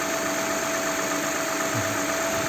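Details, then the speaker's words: Lexus RX350 V6 after repair of a rattling VVT-i cam phaser: the rattle is gone on restart after sitting about 20 minutes and several cool-down restarts. Normal smooth, steady idle with no timing-end ticking. "она уже не тарахтит работает в назовите uri сейчас заводим но задача исправили"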